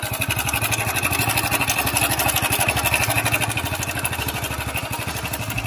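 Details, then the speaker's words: 10-11-year-old 2013 Hero Splendor Pro single-cylinder motorcycle, kick-started (battery discharged), at idle: loud fast rattly clatter over each beat; engine noise has changed despite proper servicing; timing chain already replaced earlier; worn noisy engine, cause unconfirmed. "दोस्तों अब इसकी आवाज सुन सकते हैं की इसकी आवाज में कितना बदलाव ए चुका है"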